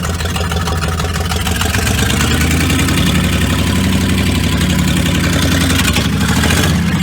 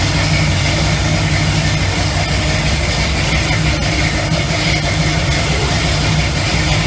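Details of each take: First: Car with no brakes: a heavy steady low rumble with an uneven knocking undertone and a faint squeal. Suspected main bearing failure or a seized main, not confirmed. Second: Classic big V8 muscle car with 4.11 rear final drive and 65–70 psi oil pressure, idling lopey but steady; it pulls slightly heavier as powerful electric fans kick on and load the alternator. Normal, healthy idle under electrical load.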